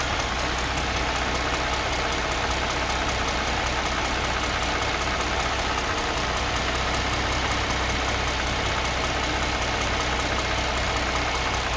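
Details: Mercedes M272 engine at low revs, noise between 700 and 1500 rpm: loose, uneven light tapping with light squeak over steady hum and hiss; cause not found.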